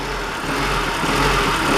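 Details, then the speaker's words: Warm Honda Civic, 1.5–2.0 L, with a P0505 idle surge: the idle won't settle, creeping up and sagging over a couple of seconds. Suspected cause is a sticking idle air control valve actuator. "still jumping but if I take that off that's all you have to do and the quick diagnostic that's what you would do"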